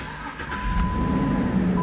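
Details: 2011 Jeep Liberty with an intermittent hot no-crank, after the ignition switch was identified as the fault and retested with no further failure. Door chime over a brief starter whirr, then the engine picks up cleanly and runs steadily. Normal crank and start.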